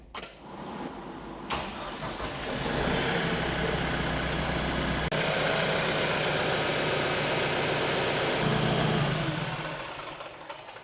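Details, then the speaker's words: Diesel tractor after annual maintenance, fuel filters changed and pump primed: cranks, catches and settles into a steady even idle without stumbling or misfire; fuel system primed and running normally. "All right, seems like everything's good."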